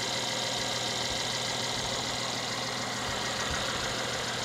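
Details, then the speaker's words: 2014 Mercedes GLK350 with 138,000 miles, engine bay dirty: steady idle with smooth hum and fan hiss, no knocks or ticks; normal idle. "let's see what we got under here okay it sounds good it looks dirty for 138,000"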